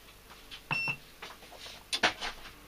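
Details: Fossibot F3600 solar power station, recharged from the house solar panels, gives one short high beep among clicks and light knocks while syncing with the house inverter; the inverter switched off on the first try, cause unknown.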